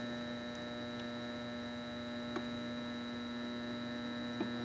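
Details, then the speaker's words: Sailrite LSZ-1 sewing machine with new WorkerB upgrade motor, turned down to slowest speed: steady low electric hum with soft needle clicks, motor turning very slowly and evenly, slightly groaning as it isn't broken in yet; normal. "Matter of fact, you can hear it grunting and groaning because it's not. This thing really isn't broken in yet. But I could just slow it down slower than that."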